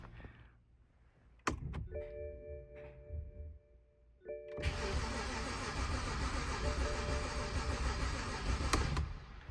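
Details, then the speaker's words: 2010 BMW 328xi Touring manual, after a year in storage: starter spins steadily about four turns a second for several seconds but it never fires; crank no start, owner suspects bad fuel. "sounds like it wants to start but I don't know what should I do should I keep trying or let's go again see like it sounds like it wants to I think it's just the fuel is bad"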